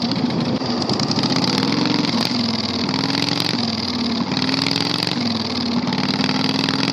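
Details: 670cc Predator V-twin go-kart after carburetor fix, on test drive: harsh, raw, very loud bark wavering with throttle, no exhaust damping; running with no muffler.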